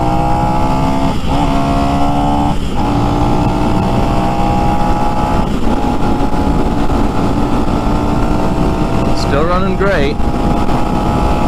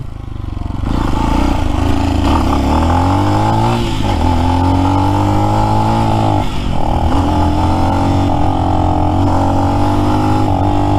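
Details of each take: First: New Lifan X-Pect single-cylinder, about 70 miles, breaking in on break-in oil, stock: steady drone, pitch easing smoothly up and down with throttle, no knocks or misses; normal running. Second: New Lifan X-Pect single, under 100 miles, regapped spark plug didn't help: at around quarter throttle it repeatedly stumbles, drops out and catches again. The cut-out was fixed by adjusting out-of-spec valve lash.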